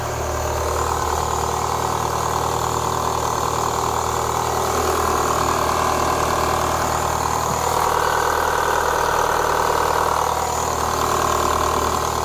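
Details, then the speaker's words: 2004 Renault Clio 182 first started after sitting for years: steady idle with a faint continuous rattle from the top front of the engine, not a deep bottom-end knock; water pump and coolant to be replaced. "it don't sound bad don't really want to rev it starting to there's a little noise at the top give it a tiny Rev"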